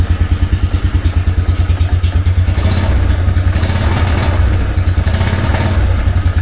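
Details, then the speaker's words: 2004 Yamaha Wolverine ATV single-cylinder, choke off, after new exhaust system installed: steady, even pulses about three per second, much quieter, no exhaust-leak ticking; healthy idle. "I kind of want to hear the new exhaust system I just put in come on try choke off there we go wow that is so much quieter no leaks coming from there that's good"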